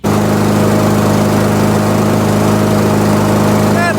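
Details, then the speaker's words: MTD Pro mower with Honda GCV160 engine after shortening and re-hooking the governor spring, about 3000–3200 rpm: steady, even high-speed drone with no surging or hunting; governor holds a good, fast enough running speed. "better that's a that's a good speed fast enough"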